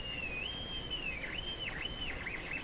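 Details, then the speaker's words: Sparton Model 5049 radio oscillating when IF transformers are peaked: thin high whistle near three kilohertz from the speaker, wavering and dipping in pitch, touching the local oscillator coil changes it; spurious oscillation, source not yet found. "we're getting we're getting a tone out the speaker"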